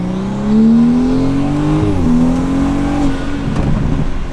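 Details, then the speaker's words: 2017 BMW 340i, first drive after new Pure 800 turbo install, mini pull under load; clean whistle climbing in pitch, resetting on shift; turbo spooling strongly, normal. "i can already tell you guys i can hear it the turbo spooling and it sounds ridiculous so i'll give you guys a little pull right here"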